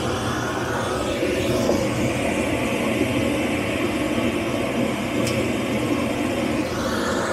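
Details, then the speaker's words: Dometic RV furnace bench-tested with the gas turned off and disconnected: steady blower noise pushes the sail switch, then a brief sharp click as it tries to ignite. The ignition attempt had been missing before. "that's the sound of it trying ignite"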